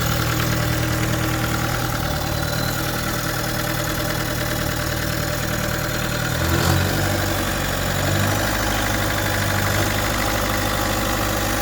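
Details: 2013 Vermeer SC602 stump grinder, rebuilt Cat 2.2 L 3024C diesel with rebuilt injection pump, 1,040 hours on meter, under an hour since rebuild, while sweeping side to side: low steady chug, even beat, small speed change; no knock or miss, healthy.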